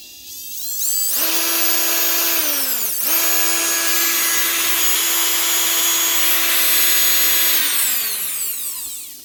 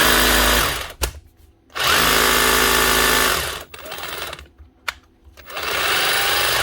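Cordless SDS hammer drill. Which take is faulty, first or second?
second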